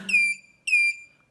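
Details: DatouBoss 1500W 24V inverter converted to lithium, supply lowered around 18.5–18.3 V while cutoff is retuned from 20 V to 18 V: two short high chirping beeps half a second apart, low-battery warning.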